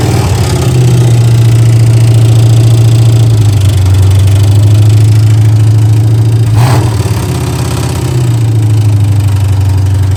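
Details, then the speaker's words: 1967 Mustang 289 V8, revived after 22 years sitting, cold: loud idle with uneven repeating knock; owner suspects the flex plate hitting the dust cover, not confirmed. "it's almost like the flex plate is hitting the dust cover is what it sounds like to me inside"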